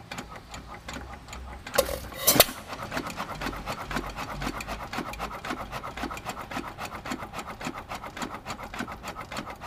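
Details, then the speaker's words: Cam ticking about every half second as a 102-year-old, largely original, never-rebored hit-and-miss engine (1 1/2hp T.Eaton or 4hp Nelson Brothers) freewheels; cam knocks against the exhaust latch-out arm are counted, about 30 between firings; normal freewheeling. "so we're hitting about 30 on average out of this 102y old engine I don't reckon that's too bad considering we also haven't been in the boore or anything with it"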